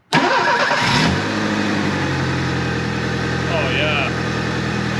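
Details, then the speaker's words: 1983 Ford Thunderbird Turbo Coupe, 2.3 L turbo, 5-speed, unrun for 20 years, after a fix attempt for intermittent running (a bad injector was suspected): catches quickly and settles into an even, steady idle, way smoother. "that's way smoother let's go right around the block real quick"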